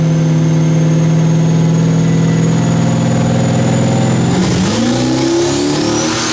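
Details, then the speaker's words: Firebird with a 6.0 L V8 and S484 turbo on pump gas plus methanol, TH400 and 9-inch rear. Under boost a loud pull sounds flat and uneven as the car struggles: misfire, later traced to bad plug wires. "issue now you can hear on that hit it just sounded flat I'm going to show another clip of it uh you can see where it's it's struggling and the front end is bouncing around and whatnot that's it's basically misfires"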